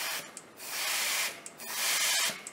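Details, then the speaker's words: Case 1070 tractor PTO that no longer engages after a previous rebuild, removed PTO housing with air applied to the oil feed: repeated half-second sharp hissing bursts, some from the blowgun fitting, most from the clutch housing; air leak past the clutch pack. "Now I don't have a rubber tip blowgun, so it's leaking a little bit at the fitting, but do you hear how much air is leaking out of that clutch housing?"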